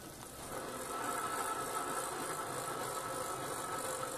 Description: Why is the hub making this crunchy clicking noise (pedalling forward) but not when it's freewheeling or pedaling backwards?